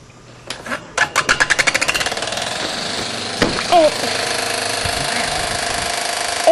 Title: Fan With Loud Noise